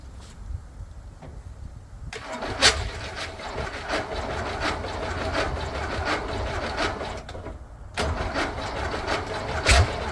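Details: VW Beetle rat rod, first start after a long build: steady rhythmic cranking that never fires. It is not getting gas; owner wonders about the gas filter sitting on its side and is using starting spray.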